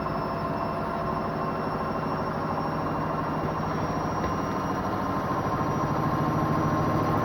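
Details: Washing machine rated 1200 rpm spins with a steady churning drone and a faint beat about three per second, sounding like 1000 rpm; spin sounds slower than rated.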